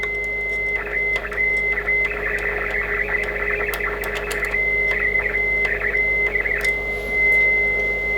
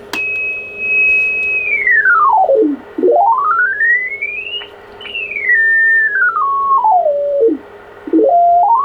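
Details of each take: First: ICOM IC-751A receiver: steady whistle in the hiss breaks into crackling bursts when the VCO trimmer capacitors are touched, on 7–28 MHz bands; sound stays crispy, so all four VCO trim caps need replacing. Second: ICOM IC-751A transceiver receiving on 28 MHz, being repaired for bad trimmer caps in the VCOs: a clean tone glides smoothly up and down as the dial is tuned, with no hum, crackle or distortion; normal receive audio.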